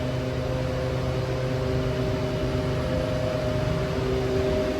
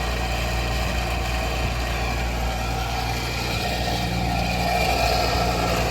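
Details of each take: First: Walk-in freezer unit, after defrost timer stuck in defrost was rewired: compressor and fan cooling with even hum, no high-pitched whistle that indicates low refrigerant; pressures okay, cold outside; normal cooling. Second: Walk-in freezer compressor running after defrost timer replacement: rough, rattly, gritty hum steady for ten seconds then cutting off; compressor sounds badly worn and is being written up for replacement.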